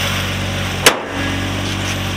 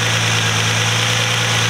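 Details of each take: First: Nissan Altima SE-R idling after intake manifold leak fixed: steady even idle at about 900 rpm with no hunting or stumble, running properly. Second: Nissan Altima SE-R at idle: thin, constant high hiss-whistle over the low hum from an intake vacuum leak at the catch can hose fitting into the intake; resealing planned, idle returned to normal once addressed.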